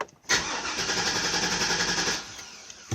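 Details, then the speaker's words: 2002 Chevy Avalanche 2500 V8 cranks with fast, even starter churn but never catches, though it starts when brake cleaner is sprayed in the intake; fuel-starved from a weak fuel pump. "I need to probably try fuel and fire but I think it's fuel because when I spray brick cleaner in the intake it starts up"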